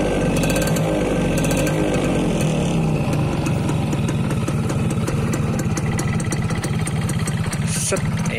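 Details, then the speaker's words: 2002 Yamaha F1ZR Caltex Special Edition H2K two-stroke, about 20 years old, original carburetor, stock (unmodified) exhaust: crisp, quick popping idle that stays even and steady; normal idle. "Jadi suaranya masih garing banget, enak lah didengar. Padahal knalpotnya standar ya, nggak dibobok dan sebagainya, bukan knalpot racing, tapi udah enak banget."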